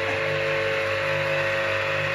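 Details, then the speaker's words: Three-phase electric motor run on 220 V in delta connection with a 10 µF start capacitor (15 µF recommended): loud steady electrical hum with a strong fixed buzz, noisier than in star connection. "Вот. Слушайте звук двигателя. Вот это работа на треугольнике."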